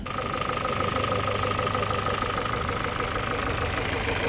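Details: 2012 Ford with robotized gearbox, inspected for resale after a restart: uneven idle with a light repeating tap about three per second over engine hum; engine knock, running inconsistently, cause not confirmed.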